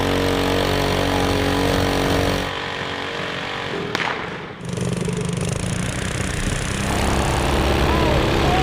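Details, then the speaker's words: Junkyard-built Briggs & Stratton 5 hp flathead with cam, bigger carburetor, racing head, stiffer valve springs, 3 hp flywheel, on a vintage mini bike: revs hard then stumbles and drops out at high rpm; fuel delivery or carburetor suspected, unconfirmed. "all trying to figure out what this issue is and we still have yeah it still does the same thing at higher rpm so i'm wondering if it's a fuel delivery problem or a carburetor issue"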